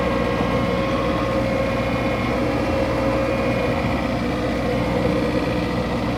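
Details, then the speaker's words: 2010 John Deere 320D with a John Deere 4024 diesel, bought at auction and hard to start: an even, steady idle with no misses; faint alternator belt squeal expected to stop as voltage rises. "Once it brings that voltage up a little bit, it'll quit squealing. Actually sounds really good."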